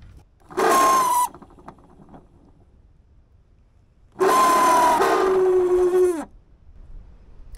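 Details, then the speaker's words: Used Ford blower motor bench-tested off the truck on direct voltage; whirring hum with a ragged, uneven edge, rougher than the other fan — rough-running blower motor. "and to think I thought that one looked better yeah that fan doesn't sound near as nice as this one does"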